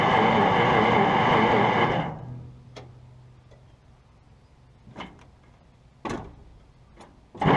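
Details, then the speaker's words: 1951 Brockway truck with a previously seized engine, after pickling and a shot of chainsaw gas. Two seconds of steady cranking with no fire, then quiet clicks; it cranks but won't start and still acts like it has no spark. "Nothing. Okay. So, certainly acting like it's still got no spark."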